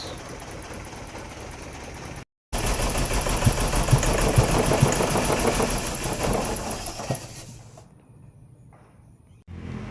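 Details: BMW E30 M10 engine, misfire unchanged with original or imitation part; idle stumbles and shakes, then bogs and fades instead of revving. Misfire, later traced to a jumped distributor rotor.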